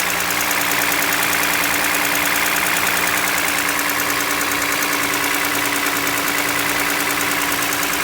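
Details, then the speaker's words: Toyota Highlander 2GR-FE V6 petrol, 150,000 km, cold idle: light, fairly regular piston knock over the steady hum, worst cold; no oil consumption per owner and no leaks. "Клиент говорит, что масло вообще не жрет, но присутствует такой вот неприятный стукоток."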